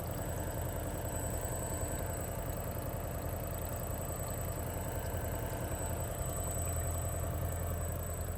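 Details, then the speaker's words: New Kohree smart RV water pump just installed, with no noise baffling or insulation and doors open, shower running: low, even hum with a soft steady pulse, no knocking or whine; ultra quiet, normal pump running. "mean, it's very quiet. Of course I can hear it. I'm not sure how much that is picking up on video, but it is ultra quiet."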